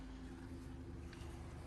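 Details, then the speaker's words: 2007 Honda CR-V 2.4 automatic, engine warming up with radiator cap open: steady, even low hum at idle, no stumble, shake or uneven beat; normal smooth idle. "mesin masih nyala persis mesin suara rapi ya Nggak ada pincang-bincang getar-getar Nggak ada suaranya juga enak tuh"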